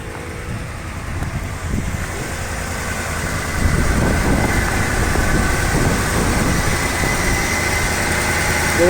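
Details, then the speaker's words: 1988 Dodge Ram D150 pickup idling just after start, fuel filter recently replaced; low, quiet idle with soft even pulses, revs rise slightly then hold steady, outdoor background; discreet engine; normal idle. "Voilà, c'est un moteur assez discret, hein, fait pas beaucoup de bruit."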